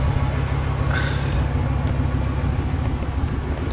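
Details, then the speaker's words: Vehicle just fitted with a Y-pipe and a Hushpower aftermarket muffler for better mileage. A deep, steady low rumble near idle with little else over it; the new muffler drones louder than it should. "the hush power Muffler I'm not too sure I'm happy with that it's not [Applause] good"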